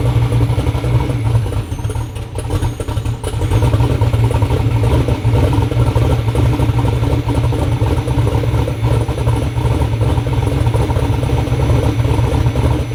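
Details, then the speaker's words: Twin-turbo Black Sheep engine street car on its first startup after the build: deep, steady lopey, choppy big-cam idle, even and unbroken, sounds healthy. "ain't no mod motors that thing sounds healthy it does good for the first startup"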